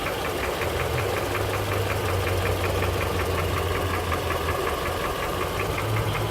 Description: Год назад появился дизельный стук в двигателе на Honda CR-V 3 (2007), частота стука увеличивается при нажатии педали газа.